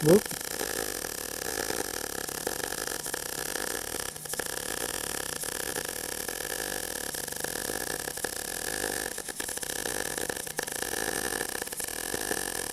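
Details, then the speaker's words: Steady frying MIG arc crackle with a few brief dropouts and stutters mid-bead; the slips came from too much weight leaning on the torch while keeping the head back. "yeah you can hear at least I could hear on my work couple little slip-ups what was happening is that too much weight leaned over here because I was trying to keep my head back"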